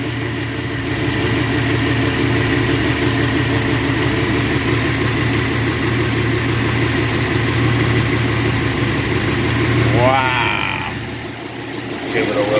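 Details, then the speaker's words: Dodge wagon engine revived after cylinders were cleaned with carb cleaner: steady even idle, picks up cleanly on a light blip and settles back, no knocks or ticks, no blue smoke. "That sounds good."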